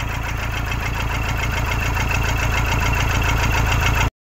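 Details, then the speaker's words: 2013 Toyota Hilux 1KD diesel, 171 hp, with injector communication and rail pressure faults: with the number 4 injector disconnected it starts, giving an uneven, lumpy idle pulsing about four times a second. Misfire; injector 4 is faulty. "desliguei o quarto bico o carro pegou vento então a princípio a gente tem um injetor até agora com defeito"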